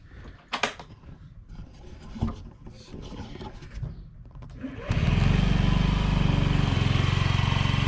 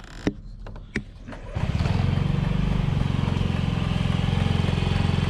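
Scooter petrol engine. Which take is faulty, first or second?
second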